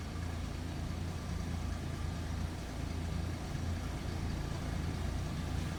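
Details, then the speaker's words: 1951 Studebaker Champion inline-6 L-head, about 2.8 liters, 6-volt, just after a cold start: soft, even low rumble with no misses or knocks; normal smooth idle. "Pretty smooth. And again, inline 6 L head."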